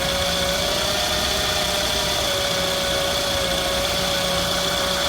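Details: 2006 Scion tC at idle: a steady, high-pitched whizzing whine of constant pitch over a quiet idle; the cause is unknown.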